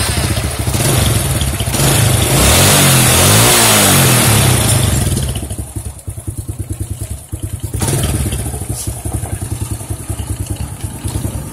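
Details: Honda C-series motorcycle with a noisy clutch, after oil drained, clutch cover gasket and cover refitted: sharp revs, then a steady even idle beat, no rattle or clatter from the clutch side; normal running, fixed.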